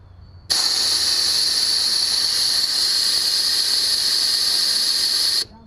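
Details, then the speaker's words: 1974 Chevrolet Nova, air hose blown through the fuel line toward the tank, listener at the rear by the fuel tank: steady hard hiss for about five seconds, no gurgling; line open, owner suspects the tank ran out of gas. "so we put uh air through the system and it didn't even we i heard straight air coming out of the fuel tank no gurgling or anything"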